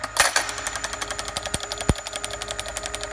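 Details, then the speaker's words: Magneto on finished test bench driven at about 340 RPM (set for 350), 5mm spark gaps with teaser electrode: sharp, evenly spaced snaps about twelve a second, no misses; firing all gaps cleanly. "340, yep, pretty close. And I'm firing all the gaps nicely, so that's a nice thing to have, and it's going to be built into the mag tester."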